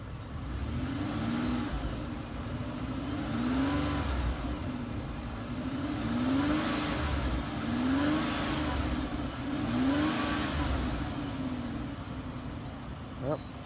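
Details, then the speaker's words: 2007 Mercury Mariner V6 with 176,000 miles, tested after a rollover; revved several times, revs rise and fall cleanly with no knocks, misses or rattles. The engine runs well. "um and this engine does have some miles on it um 176,000 but as you can hear it runs runs well"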